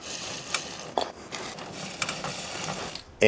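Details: Bounder chain drive during chain cleaning and lubrication: dry, irregular ratcheting clicks and scattered clunks, probably dirt and old grease on the chains; the owner expects it to run quieter once the lube sits overnight.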